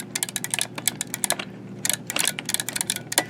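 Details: Arcade 1Up cabinet joystick, plastic cover off to expose the microswitches, demonstrating how a working one should sound: crisp, sharp clicks in quick bursts as the stick moves, each direction snapping cleanly; healthy microswitches, unlike the dead-spot faulty ones.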